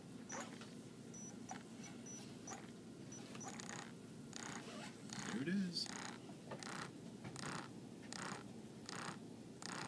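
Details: Tekin ROC 412 motor removed from the car and tested on the bench on the latest firmware: faint, regular ticking knock about every three-quarters of a second at low speed, now more a motor vibration; cause unclear.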